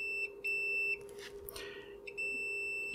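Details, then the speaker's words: Multimeter continuity beep on a cheap voice-recorder module while probing from a flash chip pin to the matching pin: the tone sounds steadily, drops out, then returns, showing a good connection. The clock line has no connection, blamed on a dodgy solder joint. "you should be able to hear that beeping however if i go up here there's no connection and that is clock"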